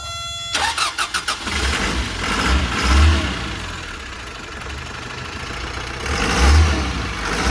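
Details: Isuzu NKR110 truck diesel with unwashed engine and new battery: brief crank then steady even idle clatter; sounds healthy, no knocks.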